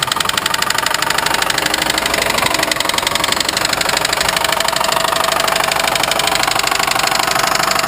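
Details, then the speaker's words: 1990 Mustang LX with good oil pressure and a new alternator, tensioner and belt: a sharp, regular ticking knock rides over the idle; owner is unsure whether the knock is low end or top end. "and shut her off yeah she's knocking like the po-po after you you know but she is fixable"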